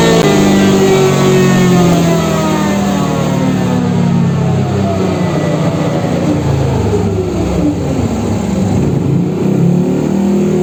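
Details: Yamaha NMAX bored up to 180cc with 34mm RPD throttle body, swapping injector from 125 to 140, valve clearance already corrected: full-throttle run pulls cleanly from low revs to a steady high scream, no misfires, popping or hesitation; AFR good.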